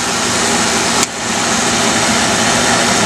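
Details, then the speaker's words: Early 1960s Bell and Howell 16mm projector running forward, belts working hard: steady high whirring hiss of motor and mechanism, brief dip near one second, then even running; cracked worm gear holding, sounds normal. "even though it's got all these belts they're just still working hard along"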